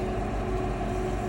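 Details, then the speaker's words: Boat found taking on water: air-conditioning condensate pans flooded, so the AC condensate pumps below the aft bunk run continuously with a constant low droning hum and deep steady rumble, no pauses. "I hear stuff pumping. Those are the AC pumps down in there."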